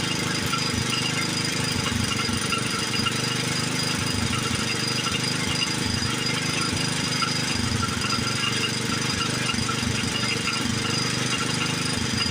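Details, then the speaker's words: Old Montgomery Ward 32 lawn tractor, small single engine, after ultrasonic carb cleaning, new plug and choke set: loud, ragged, stumbling running under a raspy hiss, smoking badly; rough running, owner suspects carburetor needs replacing or worn rings. "Well, it runs. It doesn't run very good. The carburetor didn't clean up like I wanted it to."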